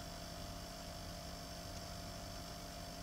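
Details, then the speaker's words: A Frigoboat fridge's Danfoss/Secop compressor runs in test mode with a new Secop controller (101N0212) and a Merlin II automatic speed controller. It gives a steady low hum with a faint even whine and no knocks or rattles: normal, healthy running after the repair. "and you can hear that the compressor is running yay"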